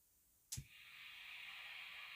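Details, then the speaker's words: ART Power Plant guitar preamp, about 30 years old: after a click, a constant high hiss sits steady and unchanging, an excessively noisy idle noise floor. "It's a wee bit noisy too."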